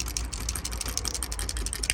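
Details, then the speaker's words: Original removed Toyota Camry trunk latch, trunk would not open, shaken by hand: quick, irregular plastic clicks and rattles from a broken piece loose inside; new replacement latch is silent. "you can hear something is rattling inside let me check it again"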